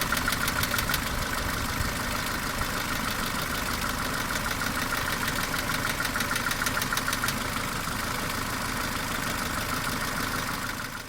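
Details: Mercedes A-Class W168 1.6 L petrol automatic, 18 years old, about 150,000 km, at idle: sharp regular clacking about three per second on top of valvetrain noise; cause of the periodic clacking unknown.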